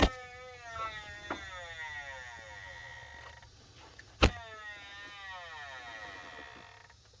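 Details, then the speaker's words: Ford Explorer 4.0 SOHC, engine off, pulley spun by hand: rough whirring tone falling as it coasts down twice; owner says the bearing inside the water pump pulley is going bad. "When you hear stuff like that, that means the bearing inside this pulley, exactly, the bearing inside the water pulley is bad, okay? It's going bad."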